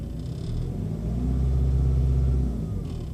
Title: Help!? Rattle/noise When Idle Bmw 3 Series